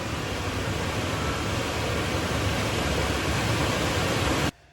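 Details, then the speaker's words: Nissan NV3500 rear blower motor, knob moved from just above 0 to 50%: smooth, even airflow hum slowing, then ramping up, then cutting off cleanly; blower running normally. "That's just a little bit off of 0. You hear it slowing back down. 50%. You hear her ramping up."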